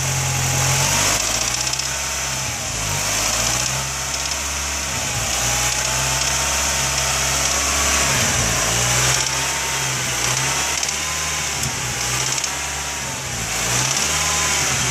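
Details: Nissan B15 petrol engine held at about 2,000 rpm: light irregular clicking over running sound, only at certain rpm around 2–3k; owner unsure if throttle butterfly screw or something else.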